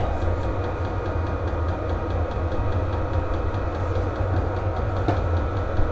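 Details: VEVOR diesel heater lit and blowing hot air, exhaust hot: steady low combustion roar over a fan hum with faint regular pump ticks, running normally on full heat.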